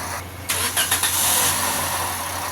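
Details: Toyota Vios Gen 4 petrol engine cranking, catching and running with a loud, hissy whirring over the idle; a seized small pulley bearing was found with the belt off, yet after refitting the noise is still present.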